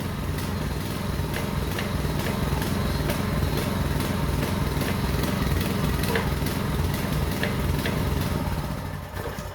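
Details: Small four-stroke engine of a concrete vibrating needle, bought non-running, after carburetor strip and check, on choke with big lumpy cam: thumps along steadily at about two and a half beats a second, lumpy but even; runs really well, normal running.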